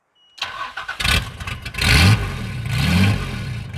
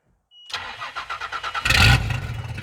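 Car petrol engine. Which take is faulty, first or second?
second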